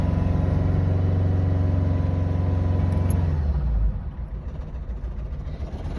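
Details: Vauxhall Astra J with loss of power: low, slightly uneven hum at rough idle, note dropping away near the end; cause not identified.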